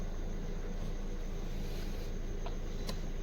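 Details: 2014 Maruti SX4 diesel, previously cranking but not starting with security light blinking; after main relay fault (P0685 ECM/PCM power relay control circuit) fixed and code cleared: steady low rumble, even healthy idle with no misses, knocks or hunting.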